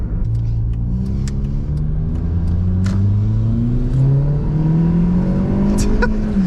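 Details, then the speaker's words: Toyota Corolla 1.8 1ZZ-FE newly turbocharged, first boosted drive, wide-open throttle: pulls with slowly rising drone lacking turbo surge, then a short blow-off whoosh; gauge read only 1 psi boost, cause unknown; exhaust leak noted. "I did see on the boost gauge at wide open throttle there it only read one pound of boost that was it little strange not sure what that's about"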